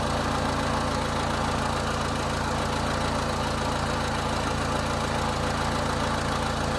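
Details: 2000 Honda Civic 1.6L SOHC after replacing the whole distributor (old cap cracked, moisture inside), during water test: steady, even idle with smooth low hum, no stumble or misfire; fixed.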